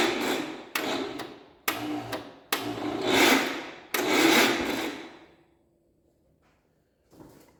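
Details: 1967 Gravely 430 barn-find tractor on a substitute battery: short whirring bursts that cut off quickly, with no steady cranking beat. The starter drive is slipping; the starter is shot and needs rebuilding or replacing.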